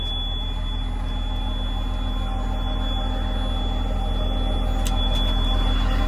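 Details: John Deere JD6081H diesel, 10,739 hours, in a 300D articulated dump truck parted out for differential issues: even idle clatter at about 200 beats a minute with no knocks or stumbles. It runs good and is healthy.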